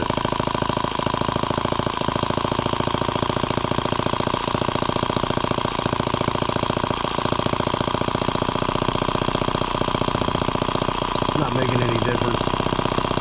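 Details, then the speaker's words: Microcosm H76 flat water-cooled model engine, first start, throttle cracked open from idle; fast even firing with a sharper tap recurring about every second, unchanged with throttle; recurring knock, source unclear. "there's that noise again let's pull that plug out of there we'll see what's going on"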